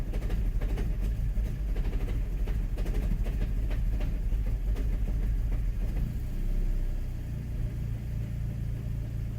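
Deep idle rumble with uneven, lumpy pulses of about two to three a second; the engine idles rough when cold.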